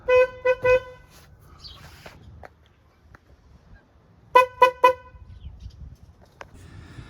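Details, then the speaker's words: 2000 Toyota Avalon, 322,000 miles, which had no horn: first test of a newly installed replacement horn. Three loud, clean blasts, a pause, then three more; strong steady tone with no rasp, working perfectly. "so as you heard this is this horn works perfect it's very loud and uh I like the sound of it"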